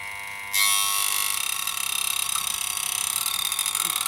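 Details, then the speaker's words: Alfa Laval refrigeration unit that tripped the RCD: the liquid line solenoid coil gives a sharp high steady buzzing flutter, likely the loose coil vibrating in its case; it eases to a hum with gas in. "Right, that's a bit better. Just a hum. I remember reading somewhere that if you get one that's buzzy, you might have to just pinch the case in a bit,"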